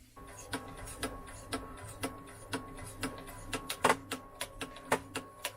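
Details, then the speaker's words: First-model belt-drive Wolverine Film2Digital MovieMaker 8mm digitizer: sharp dry clicks about twice a second over a faint motor hum as the film transport belt binds and the gears slip and grind; film transport belt binding and gear clicking. "well there was the sound it binds and then it does all that clicking as it slips finally"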